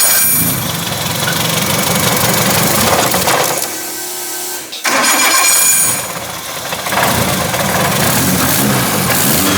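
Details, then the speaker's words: Freshly built rear-wheel-drive converted Mitsubishi Lancer on E85 from a Raceworks fuel cell, first start: engine hesitates briefly to rev, then climbs and pulls cleanly with a strong, even note; healthy fresh build. "Wow, it sounds healthy, huh? That's awesome."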